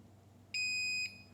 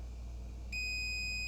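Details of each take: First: Generac GP7500e generator that produces no power: the multimeter gives a steady half-second continuity beep from terminal to brush end, and the springs are fine, so the brush and its lead are intact. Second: Generac GP7500e generator that produces no power: a continuity beep between slip ring and winding midpoint cuts in only when the probe is moved, suggesting an intermittent open in the rotor winding.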